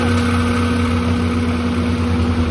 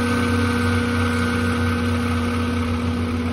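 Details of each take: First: Condenser fan motor after replacing a variable-speed single-phase motor with failed bearings: a smooth, steady, quiet hum with no grinding. It was previously around 90 dB. It draws 3.4 A against a 4.8 A rating. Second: Liebert A/C condenser variable-speed single-phase fan motor: steady drone and rough rumble from bad bearings, attributed to heat from hot/dirty condenser and slow speeds; motor being replaced.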